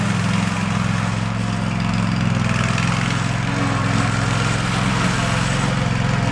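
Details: Field-find riding lawn mower on a drive test, before service and oil change, throttle all the way up: small single-cylinder engine runs a steady, even chug with no misses or knocks while driving; healthy.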